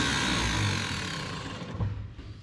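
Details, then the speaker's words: 1951 Chevrolet Advanced Design pickup, 6-volt starter on 12 volts: fast, free whirring spin winding down with no engine cranking behind it, then smoke; the Bendix drive isn't engaging the flywheel. "It's like our Bendix ain't catching."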